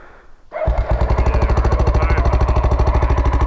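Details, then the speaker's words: Big red Honda XR trail bike ("big red ticker") on the Cape York CREB Track that has been repeatedly fixed: hard, rapid, regular pulses at a fast idle with a sharp tick on each beat; top-end ticking, though the bike was judged fine to ride on. "It's just got a big tick in it, does it?"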